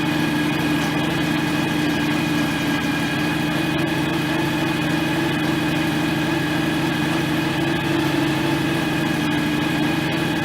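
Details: John Deere X738 lawn tractor at its 50-hour service, after checking the shared transaxle/hydraulic oil: even, steady engine drone with no whine or rhythm change. Steering slightly stiff. Normal running.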